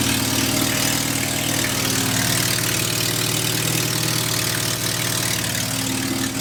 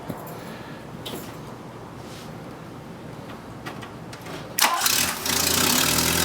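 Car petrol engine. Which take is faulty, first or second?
first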